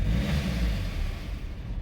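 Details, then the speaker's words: 2015 Hyundai i30 diesel: starts and idles fine, but when revved the rumble sags and dies instead of returning to idle; engine stalls after revving, owner suspects a clogged fuel filter on the unserviced car, cause unconfirmed. "so basically when you starting the car up so it starts up on idle tick over it's absolutely fantastic okay so when I rev"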